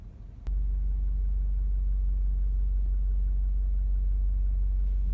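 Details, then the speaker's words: 2006–2011 8th-gen Honda Civic 1.8L at idle, heard from the cabin: deep, steady droning rumble, loudest on the passenger side; engine vibration transmitted through the passenger-side engine mount. "hi YouTube I'm Emma and today I'm going to show you how to diagnose that loud rumbling engine noise they can hear inside the car of a Honda Civic if generation or 2060 2011"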